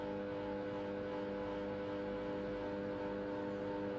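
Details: KDK ceiling fan (V60WK-type, Panasonic equivalents): steady electrical hum with several fixed tones from the motor; fixed by replacing 1.8uF 500VAC capacitor; motor hum.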